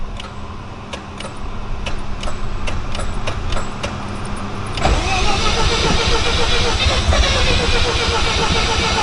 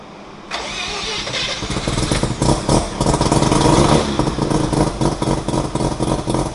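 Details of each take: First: Mazda FC RX-7 with a rebuilt rotary engine, start try on a battery tender after a low battery. Quick ticking, then steady cranking that never fires. Crank, no start; lack of fuel suspected despite the gauge showing three quarters. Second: Mazda FC RX-7 rotary with a rebuilt engine, first start in 6 years. A brief crank, then it fires and settles into a steady, buzzy idle; normal idle, though the O2 reading is rich.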